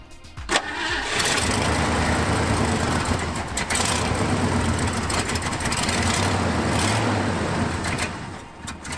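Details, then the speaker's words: 1974 Ford F-250 Highboy, carburetor refitted with an extra gasket: engine cranks and catches, then settles into an uneven, lumpy idle with wavering speed, running lean from a suspected vacuum leak; the gasket didn't fix it. "that didn't fix anything and after some further research we determined that these gaskets weren't supposed to be on the carb after all so after this first failed attempt at fixing the lean mixture issue dad and I went down several rabbit holes of solution ideas"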